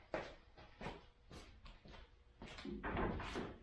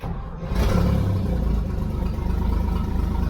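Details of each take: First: Toyota FJ40 Land Cruiser first start after purchase, throttle stuck, no choke, no oil pressure shown on gauge: short cranking bursts, then it catches and runs loud and raspy with a blatting rumble; big hole in the exhaust. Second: Toyota FJ40 Land Cruiser, just bought, restarted after adding gas to the carburettor bowl and sorting out the coil problem: short crank, then it catches into a steady, even low rumble and idles smoothly with good oil pressure; normal start and idle.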